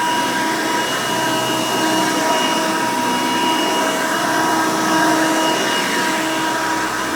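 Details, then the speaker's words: 1990 Hoover Elite 200 U4467 upright vacuum, lower-amp motor than later 7 amp version: loud steady whine at one even pitch, no rattles or surging; runs smooth and healthy. "all right runs pretty good"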